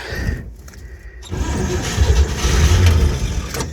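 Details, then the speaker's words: Old flatbed tow truck, cold, with gas poured down the carburetor and a hot battery: the starter churns steadily at three to four turns a second but never fires, because the choke wasn't pulled. "Come on. Oh, I had to pull the choke out."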